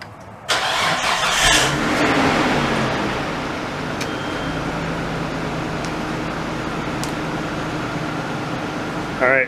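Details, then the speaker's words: Nissan R32 Skyline GTS25 started after installing a Walbro 255 fuel pump, primed first with no leaks: quick crank, clean catch and smooth steady idle with no stumble; engine fuelling properly, normal start and idle. "so I don't see any leaks, so I'm going to let it run for a little bit, rev it up and whatnot just to make sure, but we should be good."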